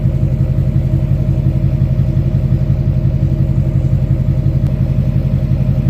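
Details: 2006 Chevy Silverado LBZ Duramax diesel, warm, 5-inch straight pipe with flow-through muffler, DSP5 tune four: deep, even exhaust rumble at idle, no misses, knocks or hiss; healthy idle.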